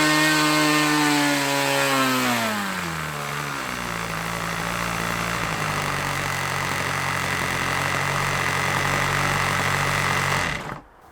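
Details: OS LA40 nitro glow engine on a Balsa Max Thrust trainer, eBay unit stored months, first-turn start, leaned from rich: high revs drop cleanly to a steady even idle without stumbling before shutdown; normal running.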